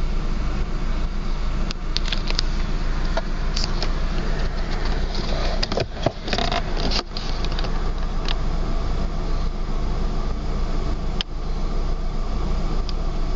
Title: Rough idle